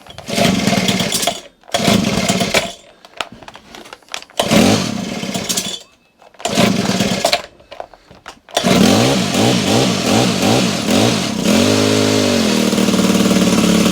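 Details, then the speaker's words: Honda HHH25 two-stroke hedge trimmer with a replacement carburetor that has a hard-to-reach idle screw: short rev bursts die out one after another, then a lumpy, hunting idle keeps dropping off and stalling until the idle RPM is raised. "It is literally, I've never known such an awkward carburetor in my life. It's right up in here. There's no way you can tune that. What a thing. I'm just going to increase these RPMs on this idler, just to try and keep the machine running."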